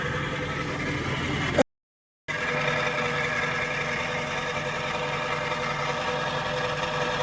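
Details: Jaguar XK8 V8 at idle, heard from under the car near the transmission: fine metallic buzzing rattle grows much louder when the A/C is switched on; source unclear, power steering pump, idler pulley and A/C clutch suspected.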